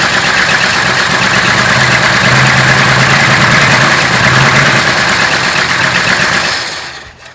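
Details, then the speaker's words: 1966 Ford Country Sedan stock 390 FE big-block V8 after performance cam install catches and runs loud and lumpy with an uneven beat, then fades; rough running from a large vacuum leak at the brake booster. "Brake booster, that's a big vacuum leak. Let's try that again. Might run a little bit better without this big vacuum leak."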